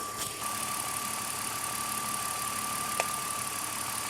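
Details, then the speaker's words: Manual 2006 BMW X5, 270,000 miles, warming up at idle and running poorly; fast, light relay-like ticking about seven clicks a second over a smooth idle, owner suspects the idle air control valve, unconfirmed. "I heard it clicking almost like a relay but what relay would be clicking continuously while the engine is idling"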